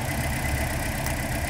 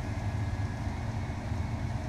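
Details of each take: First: 2012 Toyota Corolla running rough with a dead misfire (P0300): steady low idle shows no rpm change when cylinder 4's coil is unplugged, so that cylinder is dead from a faulty ignition coil. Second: 2012 Toyota Corolla after misfire (P0300) fix with spark plugs torqued to 15 ft-lb and a new coil: engine starts and settles into a smooth, steady, even idle with no misfire.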